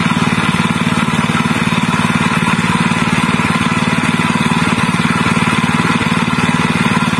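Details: General CX 160 (5.5 HP) single-cylinder stationary engine, previously fouling spark plugs black and dying quickly from excess fuel. Now running after new spark plug fitted: steady, even beat about three firings a second, no misses or surging, normal again.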